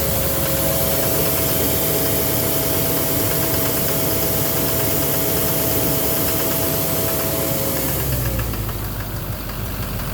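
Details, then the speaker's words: 2009 Chevrolet Silverado 3500 dually, Duramax LMM diesel V8, 59,900 miles, cold start idle: rough knock with varying pattern, not fully tied to engine speed; possibly bottom end, injector or cracked flexplate suspected; oil analysis normal; cause undetermined. "So, when I first started the truck, when it was cold, I noticed the knock was like, knock, knock, knock, knock. And knock, knock, knock, knock. It would have like a varying pattern, which would indicate that it's not necessarily based on the engine speed 100%, just somewhat."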